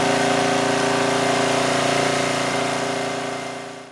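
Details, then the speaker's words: 2002 Coleman Powermate 5500 generator after backing off the adjustment nut: steady, even drone with regular beat, no surging or hunting; output now 120–121 V, engine speed adjusted correctly. "all right so with that I think we adjusted the engine speed adequately it was down to 120 121 which is fine I think that's good I don't want it to run too slowly"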